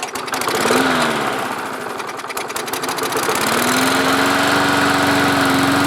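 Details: Lawn mower that would start and then die, restarted after a hand was held over the carburetor intake to draw fuel up from the tank. It catches, revs up, dips briefly, then settles into a steady, even drone; running normally.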